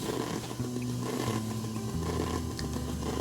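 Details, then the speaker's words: PC front-panel earphone jack while a phone charges from a front USB port: buzzy warbling tones stepping in pitch over a hum; the phone's charging circuit regulating its current draw makes the current uneven, leaking interference into the audio. "잡음이 난다는 것은 지금 요 길에 흐르는 전류가 일정한 전류가 아니라는 것을 의미합니다"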